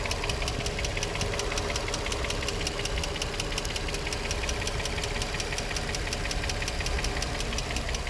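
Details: Infiniti G35 at 109k miles, no check engine light, new cats, regular oil changes: quick, steady ticking of about five per second from one bank over a smooth idle; lifters or spark plugs suggested, unconfirmed.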